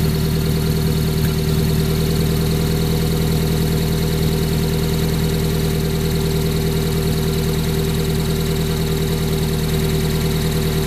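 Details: 1994 Honda Prelude with F20B petrol engine idling smoothly and evenly, steady low hum, no hunting or surging, after replacing the IAC valve to cure up-and-down idle; normal steady idle.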